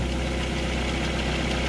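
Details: 2008 Ford Fiesta Mk6 engine started after an oil change with 3.75 l of fresh oil, checking for leaks (none at oil or air filter): steady, even low idle with a smooth rumble and no knocks or ticks. Healthy.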